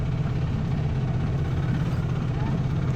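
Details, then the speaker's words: Quad with a suspected bad first gear or chain, heard idling at rest: steady even low idle with no clacking or skipping; sounds healthy at idle, clanking only on takeoff. "you idle, it sounds good. Just Yeah, fine."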